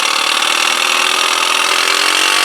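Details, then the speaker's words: 2002 Yamaha Kodiak 400 ATV that won't crank on the button but pull-starts. Its starter, fed from a jump pack and tapped with a hammer, whirs high and rough with a raspy edge. Faulty starter motor, likely worn bearings. "ooh o that sounds awful gross okay so there we go there's your definitive answer that's why it wasn't cranking cuz the starter is bad"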